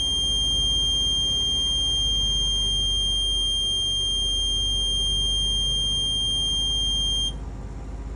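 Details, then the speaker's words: Truck air brake low-pressure test, engine held at about 2,000 rpm with parking brake released: steady piercing high buzz over low engine hum, cutting off after seven seconds; low air pressure warning alarm. "Okay, my low air pressure alarm has gone off."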